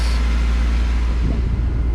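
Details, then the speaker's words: Honda H22A in an EK, after harness repair and TPS fix, water pump working, engine runs a steady even hum with idle around 2,000 rpm, no hunting; no vacuum leak, so idle set too high, to be backed down (chipped ECU, can't adjust IACV). "around two so i can't back off doesn't have a vacuum leak so i want to i'm going to back this down a little bit because it wants to go down"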